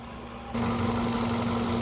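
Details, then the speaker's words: 2011 Ford Focus 2.0 L four-cylinder idling while warming up after thermostat replacement (was not reaching temperature, idle issues when warm): smooth steady idle, no ticks or knocks; healthy. "It's just a little 2 L four-cylinder. And you know, as you can hear, she runs very smooth. There's no tings or knocks or ticks or nothing like that."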